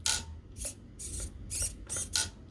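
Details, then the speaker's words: Traxxas TRX4M RC truck, new cheap aftermarket steering servo replacing broken stock one, powered up before linking steering to center: short sharp motor whirs in quick bursts as it snaps to center; healthy. "Turn the truck on and make sure the steering is centered. Ooh, I could hear it working."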